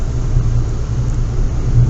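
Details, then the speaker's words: Kia Venga test drive after a front left knuckle/wheel bearing swap with a used knuckle: a steady soft road rumble with no drone or growl. The car sounds as it should, and the near-side drone is gone. "Well, we're out for a test drive in the car. Coming up the boo straight. Uh, the car sounds exactly how it should."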